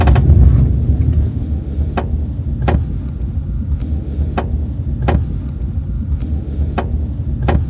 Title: Subaru Forester February 25 2025 - creaking noise in B-Pillar Passenger Side come back after repair